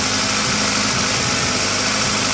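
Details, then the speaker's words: 2000 Honda CR-V idling roughly with uneven shaky thrum, P1399 random misfire worst when started cold, lessening as engine warms but never fully gone. "the problem we're experiencing with this car is a misfire that's pretty bad when you first started up cold and it diminishes as the car gets warmer but never a hundred percent goes away"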